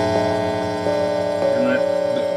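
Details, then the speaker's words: MIDI-controlled Hammond tone generator with all tones open, Arduino connected to a computer by USB: steady low buzz under a constant tone; 60 Hz mains hum from a ground loop through the USB connection, USB isolator ordered as the fix. "okay and you can see you can hear that lovely 60 hertz hum when all the tones are open"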